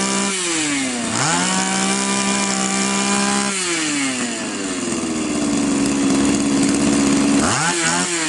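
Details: Champion two-stroke trimmer flooding heavily before the carburettor fuel screw is turned in; the screw likely loosened from vibration: buzz climbs and sags unevenly between blips, hanging and bogging; rich mixture.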